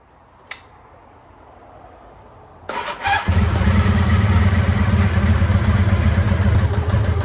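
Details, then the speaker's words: 1985 Honda VF1000R V4 after sitting three or four years with carbs not run dry, warming at idle: lumpy, uneven, stumbling idle, rear right cylinder dead; blocked pilot jet from float-bowl muck suspected, carbs to be pulled. "yeah so we can see uh the rare right cylinder uh is definitely not uh is definitely not running at idle so I think uh at this stage we're going to have to pull the carbs check those out"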